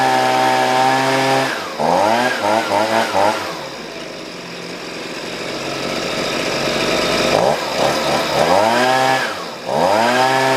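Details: Husqvarna 125B two-stroke blower after a new piston (old one damaged by straight fuel) and leaning the low-speed screw: the engine revs up cleanly, returns to a steady idle and revs again without bogging, so it runs well.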